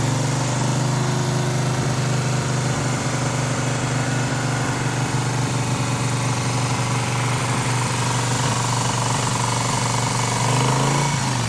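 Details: 1971 Moto Guzzi Ambassador V-twin, 4-speed, under full restoration with changed crank and new rings, first fire-up: even, deep steady beat at idle with little top-end rattle; motor sounds quiet and tight, normal idle.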